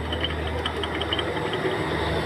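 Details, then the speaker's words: 2018 Ford Raptor front IWE hub actuator: light irregular metallic ticking and chatter; actuator ring lacking grease has play and hits the spindle, owner thinks actuators aren't bad, fix is packing grease on ring and axle. "So then you get that play and u this this ring right here that's what has that that movement that's what hits hits this um the spindle right here. So this then you get this little rattle noise that goes like"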